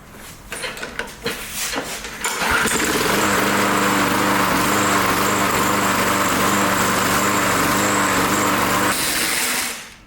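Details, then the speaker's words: Briggs Touch-N-Mow mower with gas tank removed, running on fuel left in the bowl: a few quick spring-starter cranks after button press and bail pull, then catches and holds a steady high buzz before dying away. "so I push the button down again release the bail pull the bail it cranks it over"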